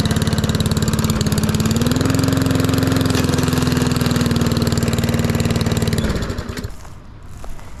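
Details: Lawn mower at idle, already hot, after fitting a $20 Amazon muffler: steady, even idle with smooth exhaust note and a slight lift in pitch midway, then shuts down; running fine.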